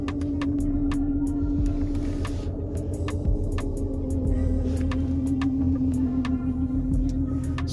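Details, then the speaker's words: 2006 Mercedes-Benz E350, M272 3.5L V6, at idle with flashing check engine light, codes P0300, P0305, P2188 (system too rich at idle): low throbbing idle with uneven shake and irregular ticks; cylinder 5 misfire. "that is the cylinder 5 misfire that I'm talking about um The Knocks in the engine are creating an irregular um combustion cycle for the engine"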